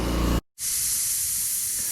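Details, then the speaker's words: Old oxygen concentrator; loud continuous hiss of escaping air over the unit's running noise, briefly interrupted, from a broken fitting leaking badly. Its oxygen sensor confirms it is not making oxygen. "There's a crazy leak there though, and I'm kind of curious to fix that."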